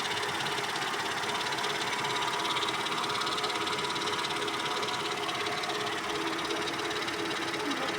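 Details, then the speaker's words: Mercedes ML320 engine at low idle: steady idle with a soft, dry rustle, about three flutters a second, which disappears when revs are raised; cause unknown, not a knock. "Вот начался шорох ML320. На малых оборотах. Вот это шорох."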